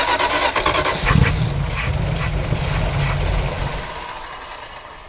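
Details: 1976 Dodge Power Wagon W100 parked 16 years, fuel poured in: catches and roars roughly about three seconds then winds down and stops; carburetor suspected to need rebuild.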